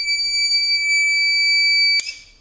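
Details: TBE 2000 W pure sine wave inverter (4000 W surge) on a 200 Ah battery gives a piercing steady two-second alarm tone and shuts off, overloaded by a vacuum motor's start-up load.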